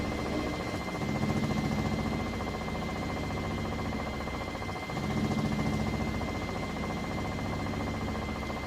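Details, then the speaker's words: 3-year-old Whirlpool Cabrio washer, full load of mostly jeans and towels, final high-speed spin with the drain pump cycling on and off in the last five minutes; steady drum whir with faint pulsing pump hum; normal spin cycle. "it also cycles that pump on and off in the last five minutes as it spins the additional water out"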